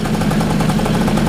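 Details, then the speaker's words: 2002 Bombardier DS90 two-stroke, just fitted with a new aftermarket top end after 65 psi compression, first start: fast even crackle at steady speed, no knocks or misses; ran a little rich with mixture screw at one turn. "All right, so good news. It started right up. Ran a little bit rich."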